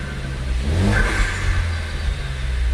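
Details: Ford Focus ST after K03 replacement turbo install, running cold with high oil pressure: revs in neutral bring a short, high whistle that rises and settles. Normal spool of the new turbo.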